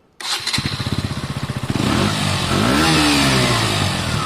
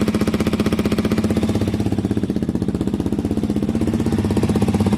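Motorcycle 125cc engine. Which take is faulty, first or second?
second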